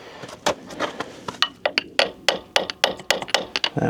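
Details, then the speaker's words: John Deere mini excavator bottom track rollers, which were squeaking, hammer-tap tested with sharp uneven taps. One roller rings a little differently from the rest. Owner suspects they are seized and plans to replace about four. "sounds a little different I wonder if they're all seized let me go check the other side oh there's a different one see how that sound different and that sound different and that one"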